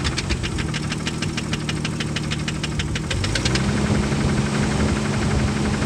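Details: 1998 Jeep Grand Cherokee Laredo 4.0 inline-six, 233k miles: idle with a sharp, regular metallic knock about twice a second that changes and fades as revs rise from pressing the throttle body; engine knock.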